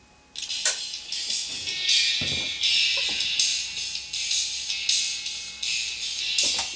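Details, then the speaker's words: Radio Shack Optimus Pro 7 speaker playing music: thin, tinny, all treble with no bass, because only the tweeter works; the woofer cuts in when pressed, suspected broken tinsel voice coil leads. "there there's just the tweeter working"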